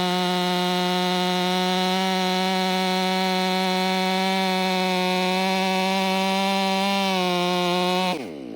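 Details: Warmed-up, Empire Workshop-ported STIHL MS500i with stock air filter, 32-inch bar, sharpened chain and seven-pin sprocket: a steady high wail holds flat under load for eight seconds, barely sagging until the cut ends. A strong, healthy saw.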